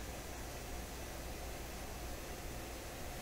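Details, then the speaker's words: 1930s vintage vacuum tube tester first switched on to test a #46 tube: a steady low mains-frequency hum sits under faint hiss from power-up, and an earlier noise went away; cause of the hum unclear. "got a pretty good hum to it oh that took away that noise oh good show we're doing good"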